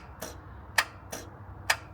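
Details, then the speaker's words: 2014 Ford F350 6.7L diesel with new batteries: sharp single clicks, no cranking; main starter cable rotted off and not connected to the starter, starter not engaging. "it's got new batteries in it is it the small wire or the big the big wires rotted right off the tur uh starter right up in here"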